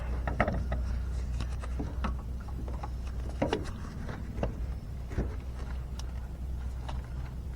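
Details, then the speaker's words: 2015 Ram 3500 6.7L diesel: a new wastegate turbo actuator, replacing a failed, corroded one, runs its scan-tool calibration. Scattered ratcheting gear clicks over a low steady hum as it pre-aligns and self-calibrates to complete. Normal calibration cycle. "The turbo actuator pre-aligned, self-calibrated, complete. Okay."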